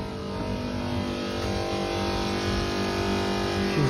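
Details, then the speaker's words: Actron air conditioner that kept tripping the breaker, run with the fan motor disconnected: the compressor starts with a steady, even low hum, no stumbling or cutout, and runs normally without tripping. "so let's go turn it on without the fan motor connected all right so the compressor just started"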